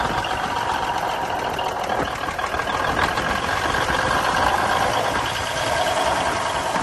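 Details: 1971 Peterbilt 352 diesel idling after water and debris were cleaned from the filter-to-injection-pump line: an uneven clatter that skips beats, a miss with a lazy throttle; owner suspects the injection pump.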